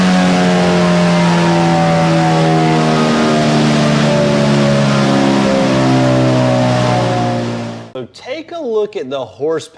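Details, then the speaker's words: 2022 Suzuki GSX-S1000 GT with Akrapovič exhaust, full-throttle dyno pull: note climbs hard then drops away and cuts off abruptly; power falls on its face at high rpm, briefly returns, falls again; cause not confirmed. "But the thing goes up and makes power and then literally falls on its face. And it came back for a second and then it just continued to fall on its face again."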